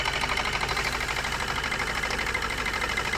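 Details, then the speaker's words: Maruti Suzuki new Swift diesel idling with a clattery, uneven, lumpy pulse and abnormal vibration and low power: misfire with dead cylinders. Unplugging injectors shows it running on only two cylinders; the 1st and 4th injectors are being checked. "കണ്ടോ ഈ വണ്ടി ആകെ ഈ രണ്ട് സിലിണ്ടറിലാണ് run ആയിക്കൊണ്ടിരിക്കുന്നത്"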